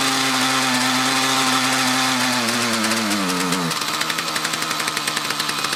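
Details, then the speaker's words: Mantis tiller with two-stroke Kioritz Echo engine: buzz sags into uneven pulsing and bogs under load, runs again after idling; suspected fuel starvation from a restriction, maybe a dirty fuel filter or fuel lines. "right so i could replicate the problem again as soon as you let off the gas let it idle for a little bit and reapply it works so i'm thinking it's not getting quite enough fuel no good enough fuel delivery after a long time and it's a some kind of restriction"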